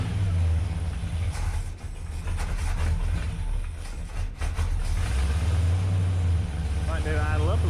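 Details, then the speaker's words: 1965 Dodge Coronet with an LA 360 swapped in for a 318 Poly and a freshly rebuilt carburetor, first start, in neutral with the rear wheels spinning: the engine catches and settles into an even, low-pitched idle with steady firing. Runs fine, idle perhaps a touch slow. "the rear wheels are spinning because it's a neutral so she lives"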